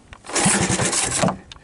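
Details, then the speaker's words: 1980 Honda ATC 110 after replacing a failed open-circuit, rust-seized stator, starting with spark plug in, starting fluid and choke on: quick pulling thumps, then the single fires in an even rapid beat; clean start. "So, put in the spark plug, give it a hoot of starting fluid and hopefully we'll hear it roar."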